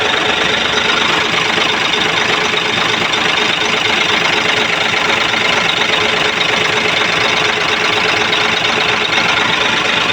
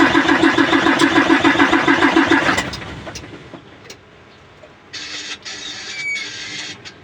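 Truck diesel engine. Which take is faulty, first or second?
second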